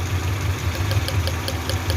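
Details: Honda Civic Genio losing power: uneven, lumpy idle with irregular thump and stumble, one cylinder not firing; plug-lead pull test points to cylinder three spark plug as suspected dead, not confirmed.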